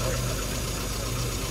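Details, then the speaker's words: Short stretch of steady, even low idle with no stumble or skipped beats after a single-cylinder misfire is traced to wrongly gapped spark plugs with an aftermarket ignition system. The engine sounds smoother, running on all cylinders; normal idle. "okay is that sound better yeah yeah smoother"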